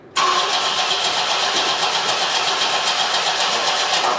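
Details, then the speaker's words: 1973 Opel 1900 (Ascona) abandoned for years, with a battery-acid-damaged starter wire and an added coil resistor on a suspected resistor-wire system: fast, even cranking with no firing. Crank no start, no spark. "so whenever you're ready crank her up yeah it's cranking plenty quick you do it again"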